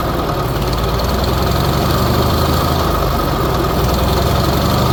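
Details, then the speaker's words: Old Bobcat, allegedly a 610, unrun for five or six years, oil too low to show on the dipstick: small engine idles with a lumpy, uneven beat after the choke, whose lever kept slamming shut, was turned off; rough idle, choke to be wired open. "dang it almost wants to idle too well I think I'm just going to wire that choke open"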